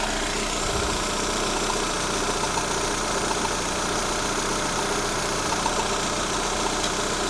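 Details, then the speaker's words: Lada Granta 126 engine after full rebuild (bored block, 82.5 pistons, new bearings, timing kit, valves): harsh scraping and light ticking over idle about once a second; tensioner roller rubbing crankshaft pulley, gone after loosening alternator belt. "О, скрежет ушел. Получается, натяжной ролик задевал шкив коленвала."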